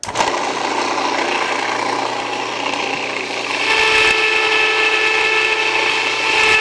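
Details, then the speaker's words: Jiffy Precision electric steel burr mill grinding einkorn, started before adding grain: loud steady gritty whir turning thinner and more tonal as grain runs out; grinding normally. "So when I turn this on, I'm going to turn it on before you start. If you don't turn it on before you start, you're gonna keep it from turning. It'll just jam up. So it's going to be a little noisy."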